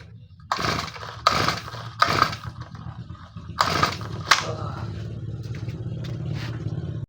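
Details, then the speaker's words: Four-stroke grass trimmer that won't start after it would not shut off and was stopped by shorting the wire: a few pull-start bursts, then a steady airy hiss from the front hole of the carburetor with no firing; the throttle stop screw is set fully open. "ไอ้เสียงลมฟิตที่มันออกอ่ะมันออกมาจากรูด้านหน้าคาร์บูเรเตอร์นะครับออกมาจากรูด้านหน้าคาร์บูเรเตอร์ลักษณะเหมือนกับคันเร่งค้างนะ"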